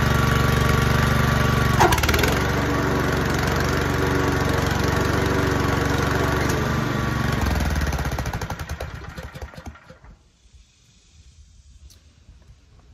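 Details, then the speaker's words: Ferris FW15 mower after deck belt adjustment and tightening: steady engine beat, blades engage immediately without the former squeal from a loose belt, then engine winds down; normal blade engagement. "can hear when i engage the blades it immediately fired up rather than that you start hearing that squeal which i didn't have it before"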